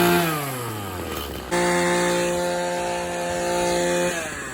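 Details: Maruyama string trimmer serviced for a no-start (bad ignition coil, broken leaking primer bulb): revs fall away, then the small two-stroke picks back up and holds a clean, steady high buzz with no stumbling. Running normally.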